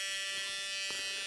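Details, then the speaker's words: 1980 Dodge W200 restoration with Magnum 5.9L, new aluminum radiator, first electrical power-up with ignition on: thin, steady high-pitched electrical buzz with no fan whoosh; the cooling fan does not run, and horn and auxiliary lights also fail. "Does the horn work? Nope. Well, son of a gun. Does the fan work? No."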